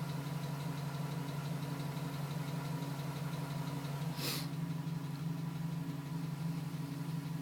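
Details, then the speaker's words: 2010 GMC Sierra, 2,000 miles, cold-start warm-up idle at 4 minutes: faint regular tapping about three per second still present; suspected piston slap, stops at 5:42 as temperature rises. "Still tapping at 4 minutes."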